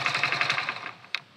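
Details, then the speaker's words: Hero Splendor BS6 motorcycle after repair of its self-starter, which used to make a "kir-kir" grinding noise at start and shutdown: a quick single-cylinder putter dies away, then one soft click with no scraping or whirr. Normal, quiet shutdown. "जो पहले खिर खिर की आवाज आती थी self हमारी self से आवाज आती थी वह हमारी स्टार्ट और बंद होते वक्त बिल्कुल आवाज नहीं आ रही"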